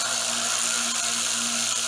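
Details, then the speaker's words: Harbor Freight 1x30 belt sander after setup, with its spring-loaded tension arm now moving freely: steady high-pitched whirr and low hum with no knocking or grinding, running smoother and truer. "You can see how the spring-loaded action is now, it's freely moving, and it should sound like, you know, quite a bit quieter."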